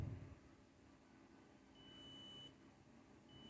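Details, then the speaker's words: Mobile fast charger (SMPS) repair: multimeter continuity beep, steady high-pitched tone twice, on a re-soldered joint; no beep across the capacitor, beep here shows the soldering still wasn't right, so the joint is soldered again. "लेकिन जब मैं इसके ऊपर रखता हूं ये देखि आवाज आ रही है ठीक है तो इसका मकसद है हमारी सोल्डरिंग अभी भी सही से नहीं हुई हुई है"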